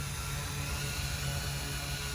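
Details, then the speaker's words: OMPHOBBY M2 RC helicopter, recently crashed, testing small tri-blade tail propeller: high, piercing electric whine over rotor wash as the tail motor screams; prop judged too small, making tail work too hard. "see if I can get this and here it kind of screaming yeah it's not really big enough yeah it's not built for it needs a bigger one"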